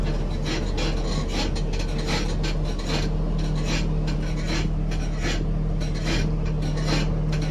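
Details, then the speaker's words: Nissan 350Z, rear rocked: repeated dry raspy creaks over a steady hum, heard whenever the car moves or someone sits inside, coming from the back. "That's a creaky noise, guys. As soon as you move the car you could hear the noise as soon as you sit inside the car."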